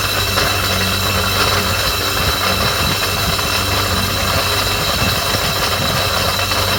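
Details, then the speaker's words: Jet pump on a 2001 Sea-Doo PWC starts making a hard steady ringing with a high metallic squeal over the engine drone; cause unknown, slight play felt when moving the pump shaft. "everything was going fine until this one started making a ringling and squealing sound we think there's something wrong with the gem"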